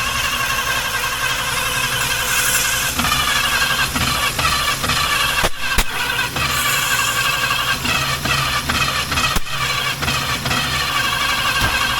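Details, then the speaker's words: 1951 Chevrolet Fleetline, just acquired, petrol poured into carburetor: engine catches and stumbles, sneezing back through the carb every few seconds; spark plug leads were on in the wrong firing order, later corrected. "What I've done, I've just confirmed the firing order because it was sneezing back through the carb and the firing order was wrong. Someone put all the plug leads on the wrong way around."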